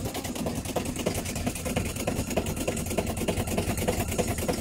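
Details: Aged LG 8.5 kg top-loading washing machine in spin: rough, loud rumble pulsing about three times a second, tub knocking on a worn, corroded drum spider.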